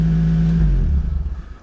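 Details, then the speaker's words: Crashed Nissan 350Z V6 with aftermarket exhaust, rear crash damage and shot rear suspension: loud deep steady exhaust drone, runs cleanly with no knocks, then engine shut off. "This car is so loud. This car sounds incredible. Oh, this sounds really good. It's loud, but that aftermarket exhaust, it really works."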